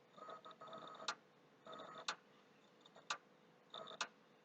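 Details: PS3 console, hard drive already formatted, slow to boot, reinstalling: quiet faint whirring bursts each ending in a sharp click about once a second near the HD; owner does not know the reason for the noise.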